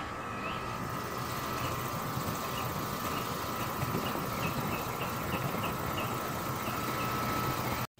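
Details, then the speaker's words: Home central AC compressor starting and running before a 5-2-1 hard start capacitor is installed: steady, even hum with a faint high tone and no stumbling or clicking on start; normal compressor running. "i wanted to show you what the air conditioning sounds like before we add the uh the hard start capacitor so i'm going to go ahead and start the air conditioning"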